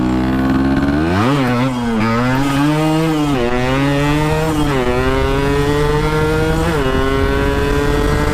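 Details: RX two-stroke started for the first time after a from-scratch restoration, piston pin not yet replaced: a crisp ring-ding note climbing and dropping cleanly with each throttle blip, pulling evenly with no knocks or misses; the engine runs healthy.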